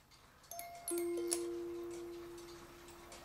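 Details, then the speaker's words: Cuckoo clock music box during repair, stop arm dropping into the hole too early: a few bright plucked notes fade and the tune halts mid-phrase. Tune stops early; stop arm to be trimmed. "see the tune is not done yet and you're supposed to be able to just this to let it finish"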